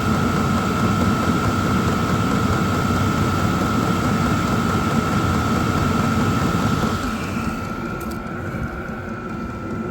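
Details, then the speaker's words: Vevor 8 kW diesel heater on battery power, first run: steady combustion roar under a constant fan whine, no surging or sputtering; heater ramping up to full output and running normally. "She's ramping up full tilt, guys."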